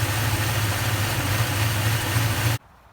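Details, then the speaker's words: 2004 Toyota Tundra at idle: steady low drone with a soft rhythmic throb about three times a second; owner wonders if a transmission or engine mount causes the pulsing vibration, unconfirmed. "I wonder if it's just like a transmission mount or an engine mount that needs to be changed. Could be. Pulse. You can get that vibration."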